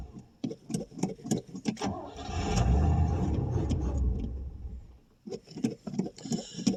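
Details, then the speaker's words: 1989 Pontiac Safari wagon off the road 18 years: fast cranking, then it runs a couple of seconds, stumbling and uneven, and dies, badly lacking fuel. Suspected causes are old gas, a gummy carburetor or plugged main jets, or an empty tank. "Okay, it kind of kind of will run. Now I say that. Yeah, she's just lacking fuel really bad."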